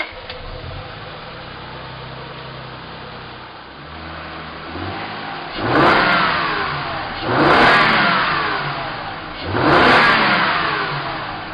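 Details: High-mileage 2001 Acura TL after valve adjustment, new timing belt, water pump and transmission service: smooth, even idle then three clean revs, no ticking or knocking; engine healthy.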